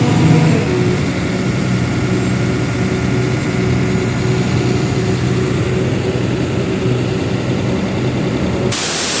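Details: AIRMAN air compressor diesel, after fixing a crank-no-start fault where fuel pump and starting relay were de-energized (fuse fault traced): settles into a steady, even low drone with constant tone, no misses or knocks; running normally.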